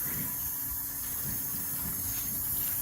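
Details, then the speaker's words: LS swap engine on rough test wiring, key-on before first start, fuel pump in a bucket: quiet steady electric hum with faint hiss, no engine running; fuel pump priming normally. "You can hear the fuel pump running. From there, I go ahead and I power up the PCM."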